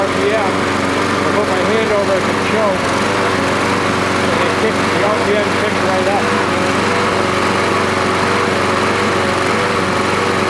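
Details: Troy-Bilt 12AV566N011 mower after cleaning the carburettor bowl and main jet and flushing the needle valve: steady, even buzz at constant speed with no misses or surging; normal running.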